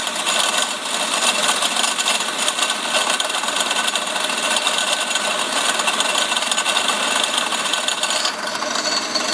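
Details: Mercedes CL500 W215 tandem pump (ABC hydraulic plus power steering) at idle: a dense, fast metallic rattle with no low end. It persists after the pump was replaced with a new one; a broken or loose bearing is suspected, and steering and ABC work fine.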